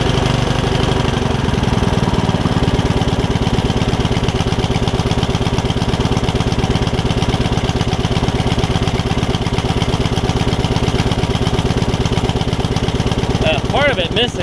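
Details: Yard Machines rider, freshly revived from a water-filled engine, lopes steadily with an uneven, lumpy beat underneath. The owner suspects richness and says the valves were never gapped after the valve cover went back on, so they need adjusting.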